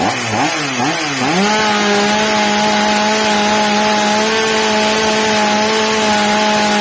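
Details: Old, well-worn Stihl MS230 chainsaw after fitting a new replacement carburettor, during its adjustment: revs wobble a second, then settle into a clean, steady high scream without hunting, normal high-speed run.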